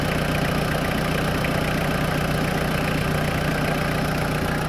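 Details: 2000 Toyota Land Cruiser Colorado VX J95, 1KZ-TE turbo diesel, under the bonnet with the oil cap off showing some blowback: an even, regular clatter of about 150 beats a minute, steady with no miss or knock; a healthy idle.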